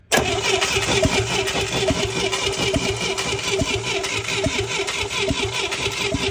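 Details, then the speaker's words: International Scout 800A parked in a barn for years, points-and-coil distributor with points cleaned: starter spins with steady, even compression pulses but never fires; no spark. "all right so it's about a week later and we're back with this old scout so where we left off at was this thing didn't have any spark"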